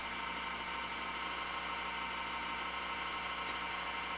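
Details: Dusty HP Media Center computer; power supply like a cement mixer, steady rushing whir with rough droning edge that keeps getting louder. Noisy power supply fan.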